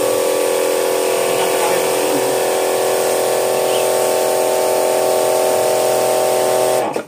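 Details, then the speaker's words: Electric jet cleaner (pressure washer) reported by the owner as not starting and not spraying, tested. Steady motor-and-pump hum that shuts off cleanly as the automatic pressure cut-off works; unit is normal, the home electrical supply is suspected. "Ternyata hidup bagus, normal. Dan ini semprotannya, perhatikan teman-teman ya. Ini otomatis tekanannya mati sendiri."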